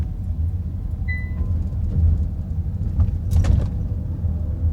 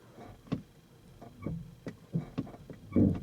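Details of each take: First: Kia EV3 GT Line S electric car after one year, driving over speed bumps after spraying silicone lubricant on the tailgate lock mechanism; low road rumble, a dull thump, no rear rattle as before, boot rattle fixed. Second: Kia EV3 GT Line S after one year, in i-Pedal stop mode, lightly touching accelerator; irregular sharp creaks and clicks, about eight in three seconds, coinciding with brake lights switching; owner suspects brake servo mechanism, not confirmed.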